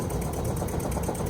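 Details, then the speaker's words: Mk1 VW Rabbit Caddy truck, engine running after sitting about 7–8 years, first drive: backfire, then uneven, lumpy running with irregular beats; owner suspects old fuel, not confirmed. "Backfire scared the hell out of me, but not enough to quit. Now it just sounds like a goddamn tractor."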